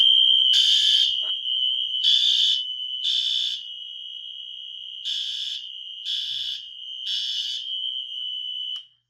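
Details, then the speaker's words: Wheelock NS fire alarm horn, set off by key activation: a steady piercing tone on continuous, with a second device (Spectral Advanced) adding harsh bursts. Normal horn operation. "Okay, if you could hear the alarm on continuous, that was the Wheelock NS over there."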